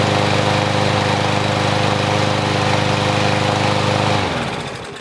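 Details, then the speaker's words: Troy-Bilt push mower that would not start (bad carburetor), after repair: starts on one pull, then a steady, even single-cylinder chug at constant speed with no misses or surging and a clean wind-down at shut-off; runs normally. "That's all it was, one pull. I didn't even have to pull it a second time or anything. So I'm gonna go ahead and let this run for a little bit"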